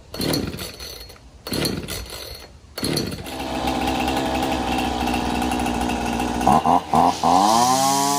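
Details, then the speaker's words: Husqvarna 225L straight-shaft trimmer after carburettor replacement, tune-up and fixing a pinched new fuel line; fired after three or four pulls on choke, steady, even idle off choke and clean throttle blips; runs healthy. "three or four pulls with the choke on she fired right up and then took the choke off she's idling great feels like it's taking the gas really good"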